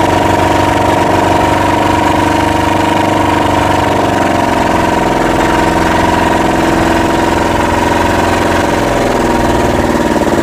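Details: Yanmar SB12 marine diesel after fuel line repair, bleeding the line and mounting the primer bulb vertically: even, steady idle clatter with no stumbles or surging; idling smoothly and healthy.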